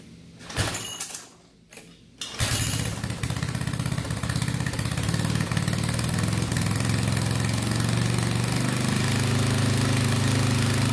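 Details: 8hp Sears rototiller single-cylinder engine after carb clean and oil change; earlier it wouldn't start because fuel shutoff was closed. A few cranking attempts, then it catches at about two seconds and settles into a steady, even chug; running normally.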